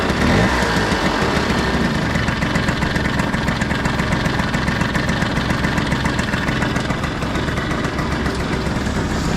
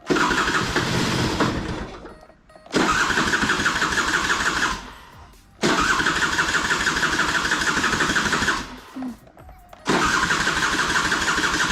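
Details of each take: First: Piaggio Skipper 150cc scooter after engine rebuild with new piston rings: steady, even single-cylinder idle with smooth putter and no knocking or rattling; engine now healthy. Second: Piaggio Skipper 150cc scooter, hard to start on kick and starter, catching in harsh loud bursts and dying each time; piston scuffed and seizing, loud engine.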